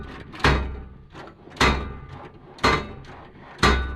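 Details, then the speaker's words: Harbor Freight Icon 73-inch toolbox, before greasing: four loud metallic bangs about a second apart, each with a rattling tail as a drawer shuts; the drawer lock bars are slapping in their channels, and grease behind them is used to cushion them. "I was shutting the drawers and they were just sounding heinous."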